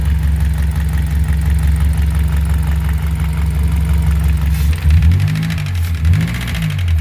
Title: what causes this knocking sound?